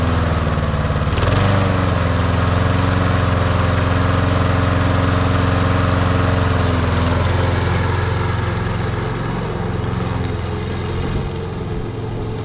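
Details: MTD Lawn Chief push mower with Briggs & Stratton engine, reassembled after a no-spark diagnosis with the coil confirmed working, mowing outside: catches and holds a steady, even beat, settling smoothly under load with no misses or surging; running healthy.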